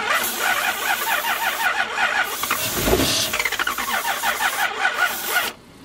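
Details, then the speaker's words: 1992 Lexus LS400 4.0 V8 project car: about five seconds of rhythmic cranking with a squeal, tries to start but won't run while sprayed; battery died and tank found empty; fuel pump suspected. "Alright, so it does try to start."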